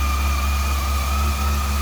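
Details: Honda CB400 after fuel pump replacement and tank refit, first start: steady, even low hum with no misses or knocks, smooth settled idle; normal idle.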